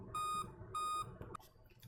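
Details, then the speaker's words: Dell laptop (model P24T00) at power-on gives five short, high, evenly spaced beeps; five-beep error code said to mean a failed CMOS battery, which should be replaced. "मतलब अगर आपके del का laptop है और उसमें अगर इस तरीके से पांच बार बीप साउंड आ रहा है तो इसका सलूशन क्या हो सकता है"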